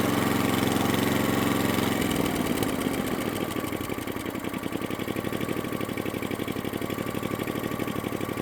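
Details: Atco Balmoral cylinder mower unrun for nine years, after carburettor fuel screw opened about three-quarters of a turn: revs ease off, steady even beat about four pops a second, no misses or hunting.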